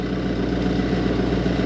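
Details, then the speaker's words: Ice machine in harvest mode with the cover off: the small air assist pump gives a constant coarse, uneven buzzing rattle over a steady hum, worn out and sounding terrible. "So, I just went into harvest and the air assist pump is roached. You can hear it. I got the cover off. So, there's a little air pump in there. It sounds terrible."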